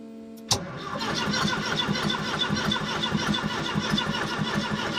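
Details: Ford ST170 engine in a Mk1 Escort on an ME221 ECU with base map, throttle position sensor unplugged, fuel pump running; steady uneven chug about 1.5 beats a second, cranks but won't start; owner suspects cam/crank sensor synchronisation.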